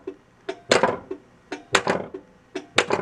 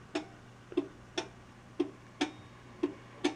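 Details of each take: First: 1982 Bally Mr & Mrs Pac-Man pinball (-35 MPU) in coil test: crisp clicks in groups of three or four as the coils fire in sequence and the solenoid expander board switches, alternating transistors between two devices. Normal solenoid and coil firing. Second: 1982 Bally Mr & Mrs Pac-Man pinball (-35 MPU) in coil test: the coil numbers advance but no coils fire. Sharp clicks about once a second from the solenoid expander board over a faint hum, no coil thumps; a bad PIA socket is indicated.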